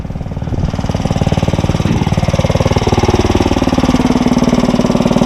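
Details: Briggs & Stratton 900 series single-cylinder engine, running as the fuel valve is shut off to run it dry: steady, even thumping beat with no misses or knocks; normal running.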